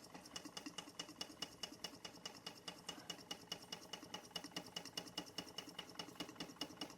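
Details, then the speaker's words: Bing 10/110 poppet valve steam engine on its original spirit burner, steam oil added: crisp, even ticking about 140 beats a minute over a light hiss, water pump running, condensation cleared, under 1 bar (about 10 psi); running smoothly and healthily. "And she's away now. That's it. We got rid of that condensation. Steam only now, and off she goes."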